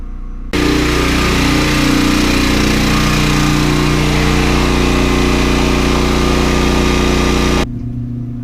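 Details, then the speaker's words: Westinghouse WGen9500DF dual-fuel portable generator running a clothes dryer of about 6,000 watts on a 30-amp (7,200 W) circuit: steady strong drone at even speed, no surging; handles the load near its limit. "right so the generator is handling the dryer it's about 6 000 watts i think the 30 amps is 7 200 watts so we're pretty close to its limit"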